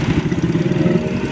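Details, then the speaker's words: Recently bought motorcycle with 30,000 on it, checked before a long trip: rapid metallic clatter on every firing pulse at idle, louder than a healthy engine; the mechanic says it is not normal. "Pero may tunog to sir eh. Pero ito, pwede nating dukutin, nasa sa inyo. Talagang hindi siya normal. Para sa rider na tunog, hindi normal."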